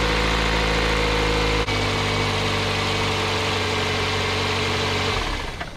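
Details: 2003-2008 Toyota Corolla after starter replacement (old starter dodgy, needed tapping), car sat a week, battery 12.27 V: engine catches at once, steady even low hum, no knocks or grinding, then shuts off; normal start and idle.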